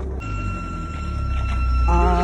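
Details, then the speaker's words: Proton Exora with no-start symptom, fuel pump suspected: steady high-pitched buzzing whine over quiet engine hum, unchanging; identified as failing in-tank fuel pump. "ni masalah dia deh. Ni masalah dia F pam."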